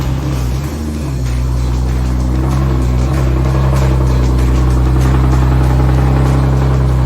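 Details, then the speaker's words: BMW E46 turbo after the earlier noise was gone. A deep, even drone settles and holds steady with no stumbles, pops or flutter, and AFR reads perfect; running clean and healthy. "We're running, baby, we're running. AFR is looking perfect. That thing is running good."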